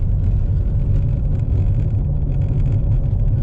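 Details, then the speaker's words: 2014 Impala at about 70 after fixing a rear howl, first blamed on a newly replaced wheel bearing, caused by a missing bolt: steady low road rumble with no howl or rubbing; smooth, normal road noise. "okay I think we're better now okay well anyways that's good"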